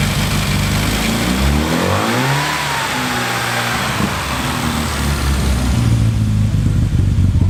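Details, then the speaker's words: Classic car with SU carburettors, first start and tune-up after a full rebuild: idle speed wanders up and down, a hunting idle; a weak mixture is suspected, and turning the mixture in improved it somewhat. "now it's running and I'll just need to try and work out why it's not quite either very well it's hunting a bit something in the mixed is weak"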